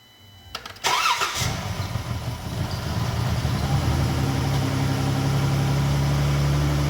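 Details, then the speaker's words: Pentastar V6 after ticking repair with new spark plugs and coils: catches after a short crank, stumbles briefly, light smoking, then steady even idle with no top-end tick; fixed. "but do you hear how quiet it is now and it's definitely a not Ticketek not doing that no more so let's call this a win"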